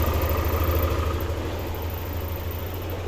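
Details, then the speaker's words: Yamaha NMAX V2 scooter idling quietly with a steady low hum and no timing-chain ticking or rattle, after replacing a timing chain tensioner whose spring had come loose so it no longer pushed the chain. "so ayan niyo tahimik na siya ayan so ang problema lang niya yung kanyang tensioner so hindi na natutulak yung kanyang ah mismong ah timing chain ayan"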